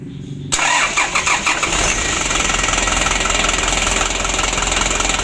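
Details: 2016 Hino Dutro 130 HD diesel with hard starting and unsteady idle. The Bosch injection pump plunger adjustment has run out and cannot be set further. Brief crank, then a lumpy idle with a wavering beat and heavy smoke after starting.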